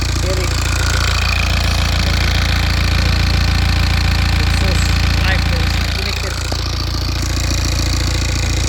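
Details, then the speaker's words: Rebuilt BMW N47 diesel on its first start, with intercooler pipe and alternator not yet connected. Steady, even idle clatter with a strong low rumble, no misses, knocks or vibration: normal diesel idle. "engine running and there's no vibration. No vibration everything good"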